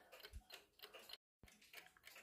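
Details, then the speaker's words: Czechoslovakian alarm clock, believed 1940s, with unusual torsion-spring movement; crisp, quick steady ticking with very good balance-wheel amplitude, yet it runs extremely fast: clock running fast. "it's a beautiful movement if you ask me it has a very good amplitude on the balance wheel but sadly it runs extremely fast"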